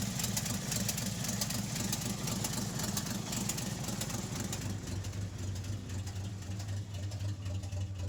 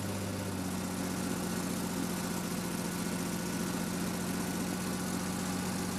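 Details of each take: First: REO M-35 truck with blown head gasket, engine still cold on choke: lumpy idle, three or four cylinders fire then a gap, skipping at least one cylinder, probably more; warm it would not idle without blipping throttle. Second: REO M-35 truck after head gasket replacement, very cold start held on a little throttle: low, steady idle with slightly uneven beat, no knocks; slight idle trouble while warming is normal.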